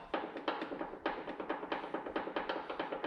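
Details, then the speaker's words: 1999–2006 Chevy 2500 HD truck door with worn hinge pins and bushings, top ones worse than bottom; uneven dry clicks and clacks a few per second as the door moves; worn door hinge pins and bushings. "can hear that clicking clacking in these pins the top ones are worse than the bottom ones it's usually how it goes"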